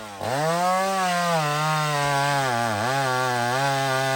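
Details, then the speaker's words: Chainsaw revved to wide-open throttle gives a high, screaming whine that holds steady and hunts slightly with no burble; running too lean at high rpm, risks engine damage, needs the mixture richened. "that's too lean that's too lean friends this is how guys blow their Max up or any saw fatten it back"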